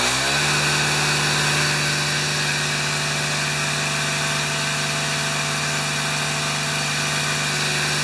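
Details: Older Yard Machine four-stroke string trimmer that wouldn't run, after fitting a new primer ball and cleaning the cartridge, started on choke: steady, even fast buzzing run with no misses or stumbles, running cleanly.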